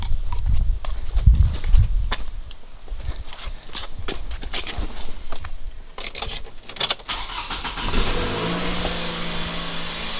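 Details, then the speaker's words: Toyota Camry 2AZ-FE engine at idle after the timing chain was replaced: chain knock gone, runs quieter and steady, but the hesitation on throttle remains; owner suspects the VVT-i valve. "вот как он работает после замены цепи Ну стука нет вот этого бяка в общем-то он работает тише но провал остался"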